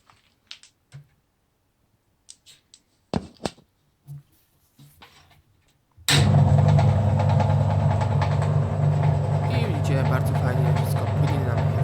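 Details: 1984 Frania SHL impeller washing machine after capacitor replacement, motor test: a few clicks, then a steady even low hum without grinding or labouring; runs smoothly.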